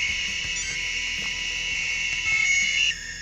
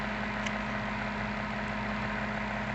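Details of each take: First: Maytag washer interface control board at power-on: a loud, steady, high-pitched buzz that then drops away as the interface cuts out. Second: Maytag top-load washer control board on a bench test, with the actuator moved to the spin position and no tachometer connected. A smooth, steady motor hum with no knocking or grinding; spin runs normally.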